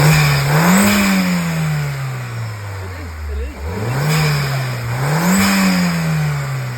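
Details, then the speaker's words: Audi TT Mk1 1.8L turbo APX (222 bhp) after new pipe, new oil and filters: revs rise and fall cleanly several times with throttle, no rattle or miss, sounding as a TT should compared with before. Dump valve replacement still pending. Normal revving. "now that's what a TT is meant to sound like, not like it did when I got here."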